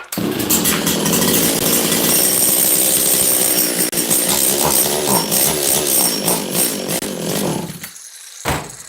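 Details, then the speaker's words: Makita DCS540 two-stroke chainsaw run with no choke and the low jet richened a little. It revs unevenly, wavering and sagging, then dies; lean and bogging on the carb setting. The owner thinks it may just need a carb kit. "Give it a little more low jet. This thing may just need a carb kit. It's very possible."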